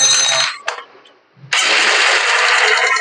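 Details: Honda Shine single-cylinder bike after replacing stretched cam chain tensioner to cure knocking noise: fires after brief crank, settles into steady even run with no ticking or knocking; healthy.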